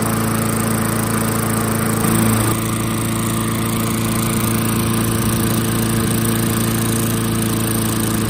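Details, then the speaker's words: Restored 1994 Murray mower, 3.8 hp Tecumseh TVS90 engine with new replacement carb after 20 years stored; idle screw raised, now a steady, even drone with no skipping or hunting, at proper idle. "So you can hear that idle increase where it's nice and smooth now. That's about where we want it."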